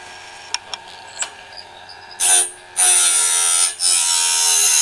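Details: Norwood BladeMate Pro band-blade sharpener, set up and cutting right: quiet ticks, then high buzzing grind in steady, even bursts as the wheel works each tooth; normal operation.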